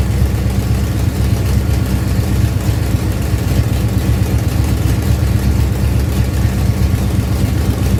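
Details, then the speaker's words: Ford Pinto drag car after Holley carburetor rebuild (grit cleaned out), secondary throttle stop backed off, fired up to adjust idle and air bleeds: steady, even low rumble holding speed on its own, no misses or hunting; normal idle. "I'm gonna fire this thing back up and now we should be able to adjust the idle and the air bleeds to get this thing actually run right so fired up"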